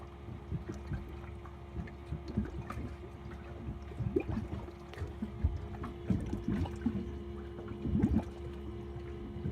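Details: Malibu 23 LSV ballast system, about 12 minutes into fill: pump hum with uneven gurgling and trickling as water struggles into the hard tank, only a quarter full, gauges reading zero while the bags are two-thirds to three-quarters full; fill is slow, cause unconfirmed.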